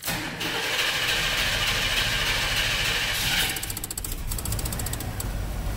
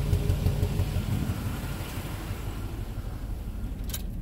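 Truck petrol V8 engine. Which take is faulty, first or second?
second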